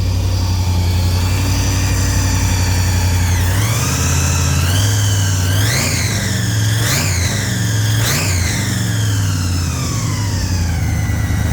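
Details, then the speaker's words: 3rd-gen Camaro IROC-Z28 supercharged 383 stroker after worn cam and lifter replacement, breaking in with idle not yet set, throttle held: strong steady fast idle with quick blips rising and settling cleanly; normal. "Keep it running because we don't really have the idle set. Keep your foot on."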